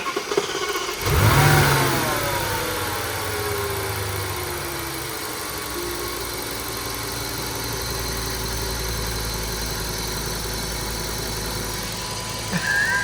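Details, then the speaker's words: Audi S8 V10, replacement engine first runs, both air mass meters plugged back in after sealing air leaks: catches, flares, then settles into steady, even idle without shaking; a faint extra noise remains. "everything is plugged back in so we have both of the air M meters on and the engine is running sweet is idling very nice"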